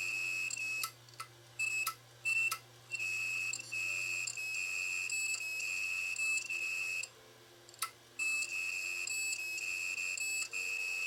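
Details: Failed 1TB Toshiba DVR hard drive, powered up before teardown: high thin beeps in long stretches with short silences and no spin-up hum; drive failing to start.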